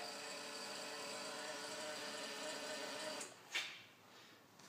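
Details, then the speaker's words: 2008 Matrix moped gives a steady high electric whirr for about three seconds, cranking but never firing; noise seems to come from the back, and the owner found a disconnected wire of unknown purpose. Cause unconfirmed. "so this is my moped a 2008 matrix and it's not starting up this is what it sounds like"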